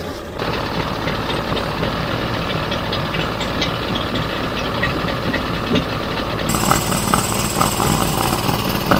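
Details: Circa-1985 Suzuki 85 hp two-stroke outboard after clearing its fully plugged carb jets, before syncing the three carbs: steady, uneven burble with fast firing pulses, picking up slightly near the end, no misses; normal running.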